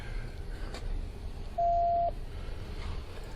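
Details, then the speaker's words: Police radio emergency alert tone: a single clean mid-pitched half-second beep over quiet hiss, sounded when dispatch says clear the air, holding the channel clear and repeating. "hear that beeping that's the alert tone when he said clear the air that beeping will keep beeping"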